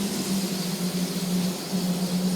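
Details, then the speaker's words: Hubler Dromader G-10 turboprop pulled back to ground idle after beta check, ready for taxi; steady low drone and even hum over soft rushing, no surging or roughness: normal ground idle. "okay once we've done that we can pull it back into our grand idol"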